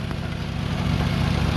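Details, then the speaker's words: 2000 Lexus RX300 idling, tailpipe blocked to expose leak, heard beneath the car: deep idle with rough puffing exhaust chuff; exhaust leak at the downstream oxygen sensor flange with rusted-away bolts and a gap, gasket possibly missing. "did you hear that so that's very huge leak and the leak actually is coming from here"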